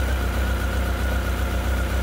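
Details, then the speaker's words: Honda CB1300 after full rebuild, first cold start: deep, even burble holding a steady idle with no misses or stumbles and only very slight tappet noise; normal idle. "Well, it seems to be her ticking over nice and steady now."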